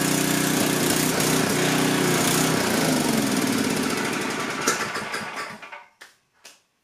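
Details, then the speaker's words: Coleman Powermate 6250 generator, 10 hp Tecumseh engine, test run after carburetor work with no fuel leaks from the bowl; runs steadily at high speed with a slightly uneven beat, then shuts down; air-fuel mixture needs small adjustment. "so it looks like it's going to run good just a couple tiny adjustments with the airfuel mixture and i think i'll have this thing dialed right in"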